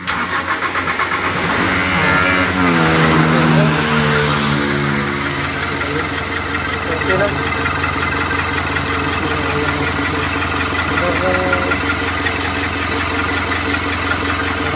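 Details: Mitsubishi Canter with 4M42 diesel that previously wouldn't start, now with original EGR and parts refitted: cranks with a laboring rhythm, somewhat hard starting, catches with rising note and settles to steady even idle.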